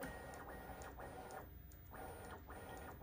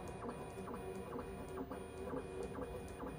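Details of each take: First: Bambu Lab P1P after lubricating the Z-axis belts and pulley wheels to cure a squeak: bed moved bottom to top with smooth, even motor whirr and no squeak or scrape, normal Z-axis movement. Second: Bambu Lab P1S/P1P 3D printer bed whirrs while moving on the Z-axis, with a high squeak coming and going at certain heights. It is suspected to come from the Z-axis belts under the printer, and 3-in-1 dry lube fixed it.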